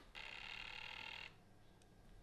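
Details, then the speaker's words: Cheap budget air fryer after a half-hour cooking run, smelling of factory: thin high-pitched buzz holds about a second then cuts out, repeating on and off; cause unclear, owner thinks it may be broken. "(WEIRD NOISES) can you hear that? it keeps doing that noise on"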